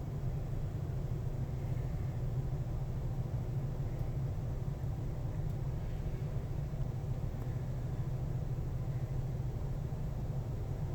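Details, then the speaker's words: Heat pump air handler (not a furnace) on its first emergency-heat startup of the 2019 season, run about 5 minutes to blow out dust: a steady low blower whoosh with no rattles or scraping, then it shuts off; normal emergency heat operation. "But that was just a little example on how to get your heater started up for the first."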